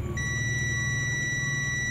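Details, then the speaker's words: Ashley audio mixer, totally dead with only the indicator lit: multimeter continuity test on a removed SMD capacitor gives a steady, unbroken beep in both probe directions, showing it is shorted. "Lihat, yang ini berbunyi bip."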